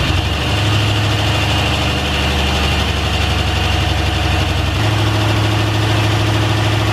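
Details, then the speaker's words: Brand-new replacement LS V8 engine in a Honda S2000, first start after install on conventional break-in oil, catches and settles into a deep, even burble at steady smooth idle with no knocks or ticks; sounds fantastic and healthy. "how'd you hear the motor sounds fantastic this is the new replacement motor and it sounds great"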